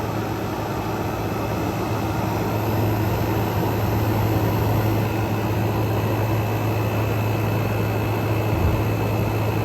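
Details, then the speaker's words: Frigidaire Gallery GHWQ103WC1 10,000 BTU dual inverter air conditioner, revived after being trashed: inverter compressor ramping down, 46° air out and warming slightly, smooth steady low hum with a faint high whine, no knocking or rattle; normal inverter compressor operation. "compressor is ramping down we got 46 coming out as they as it slows back down starting to get a little bit warmer air out"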